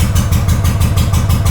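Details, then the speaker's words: Honda GL500 twin, not started in over a decade, first start after a wiring loom rebuild with old oil inside: a lumpy idle at about six pulses a second keeps running steadily with the clutch pulled all the way in. Idle with clutch disengaged. "Clutch in all the way. Clutch in all the way and it's still running."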